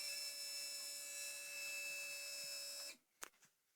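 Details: Yamaha Vixion fuel pump at key-on, engine off: steady high electric hum about three seconds, then cuts off cleanly; normal fuel pump priming.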